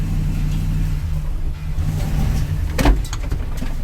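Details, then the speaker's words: Engine brake-revved in gear against a building: deep strained drone under load with sharp metallic pings, spark knock/detonation; fuel pressure reads oddly high, owner suspects a fuel delivery problem. "You hear it's pinging and detonating."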